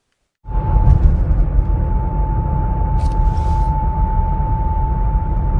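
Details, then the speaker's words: 2020 Ford Explorer under warranty, about 12,000 miles: steady mid-pitched howl over road rumble, intermittent only between 39 and 42 mph, gone above 42; driveshaft resonance howl. "recently i had a 2020 ford explorer come in with an intermittent howling noise between 39 and 42 miles an hour"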